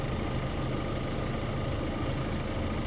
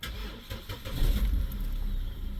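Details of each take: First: Vauxhall Zafira A with a no-heat complaint, idling during a head gasket block test that shows no combustion gas: steady, even low idle hum with no knocks or misses, engine healthy. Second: Vauxhall Zafira A, started just after clearing fault codes: the starter churns slowly with a labouring rumble before it catches; charging voltage sits in the low 14s, and the battery is questioned.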